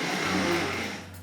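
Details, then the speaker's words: Tri-ang Hornby R.754 M7 class tank locomotive, later version with an extra pickup, on a rolling road: a steady, even low purr with a faint high squeak. The motor runs smoothly. "so it's much more of a purr isn't it slight squeak coming from it"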